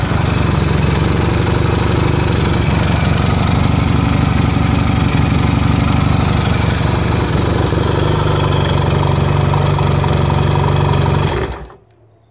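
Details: Rebuilt 1979 Yamaha XS650 360-degree-crank parallel twin (rebored block, new pistons, new stainless valves) running after rebuild: steady, even twin beat, firm low rumble, no knocks or ticks, clean shutdown; normal running.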